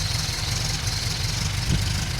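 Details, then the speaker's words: Classic Mini just fitted with a larger carburettor replacing the HIF44 SU, adjustments untouched, first start: steady, even idle with a smooth low burble, no misses, knocks or hunting; normal idle. "Can't believe it's worked so well. Straight off the bat. I've not even touched any of the adjustments or anything."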